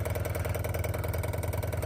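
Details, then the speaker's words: 1971 Rover 3500S P6 US export model, newly installed fuel pump, mounting bolts still loose so it vibrates, low fuel in tank: fast, even pulsing hum about ten beats a second, quieter than the old pump; normal fuel pump operation. "It's not as not as noisy as the old fuel pump."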